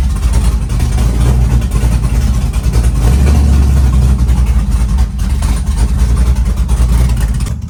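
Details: Chevy truck with freshly built LS-swapped big-cam V8, warming up from 75° coolant temp, 65–75 psi oil pressure at idle: deep loping idle, steady lumpy big-cam beat, no knock or tapping; running smoothly.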